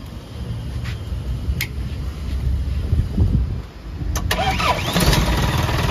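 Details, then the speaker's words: Self-loader truck after refitting the power take-off pump, which was noisy even when switched off: engine cranks, catches and settles to even idle with blips; PTO now quiet, normal running. "so wala na siyang ingay mga ka kayab naririnig niyo naman y kayab"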